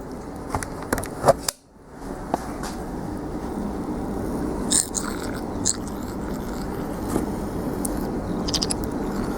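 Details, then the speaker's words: Yard Man lawn tractor tire with cracks, being inflated: a thin steady hiss under scraping and handling noise as air leaks around the tire bead; owner plans to fit inner tubes. "but we'll blow up the tire a little bit, see what we can see. It is leaking out around the bead a little bit."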